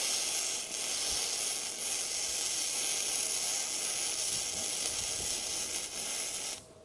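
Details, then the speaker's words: Bestarc gasless flux-core MIG welder set to 110 A after 120 A: steady crackling hiss with no sputtering or breaks, stayed working throughout; arc likely a little too hot. "Boy, that's powerful. Even at 110, and it did stay working that whole time, that may even be a little hot."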